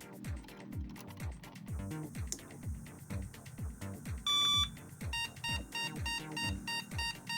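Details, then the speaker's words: Soyo SY-015G Am386DX motherboard, heavily corroded by a leaking battery and then cleaned, with memory and a PC speaker fitted: one long and eight short POST beeps mean everything is initialized but no graphics card is fitted. "yay one long and eight short beeps that means that everything is initialized but the graphics card is missing"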